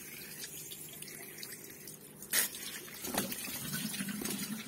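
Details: Pool pump with sand filter: steady trickling hiss and splashes from a water leak at the suction fitting, where a poor homemade rubber seal or loose nut let the pump suck air and the pressure gauge jump.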